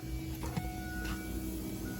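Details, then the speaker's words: Supra Mk3 with a 1.5JZ, fuel cell, surge tank and AEM Infinity 506 ECU, at ignition key-on after re-pinning the pump outputs. A faint steady electric whir with short tones; two of the three fuel pumps are heard priming. "Sounds like we got 2 fuel pumps priming."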